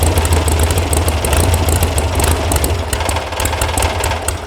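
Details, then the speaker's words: VW sand rail buggy air-cooled engine after electronic ignition install, carb mixture screws found backed way out during tuning: lumpy, uneven idle with a loping bobble around three pulses a second; rough idle from incorrect carburettor mixture setting. "Oh, what's bobbling? But it definitely has a bobble to it. I don't like this."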